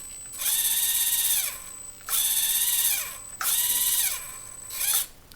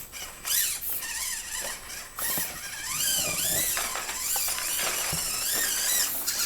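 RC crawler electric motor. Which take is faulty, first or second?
first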